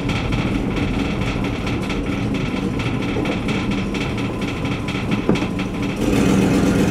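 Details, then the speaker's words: Test drive before repair of an exhaust leak: uneven puffing tick riding over road and engine noise on a short drive down the block, the sound of a leaking exhaust. "show you guys the last of the exhaust leak issue that we're facing and obviously can hear it in the background"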